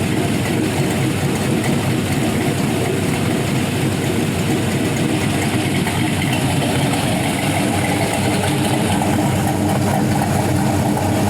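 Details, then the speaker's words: 5.3L Gen 3 LM7 LS V8 with a big cam (228/230 at .050, .585 lift, 112 LSA), new O2 sensors and a base tune, warm at 192 degrees: a steady, even idle with slight cam lope and no ticks, knocks or leaks; normal idle. "so there you go 192 degrees it's pretty well warmed up sounds good runs good should make really good power with a set of long tubes and a tune"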